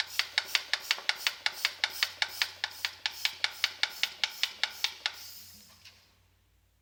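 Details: Saab 9-5 engine: sharp, light ticking at roughly two and a half beats per second that fades as the engine winds down; an internal engine knock.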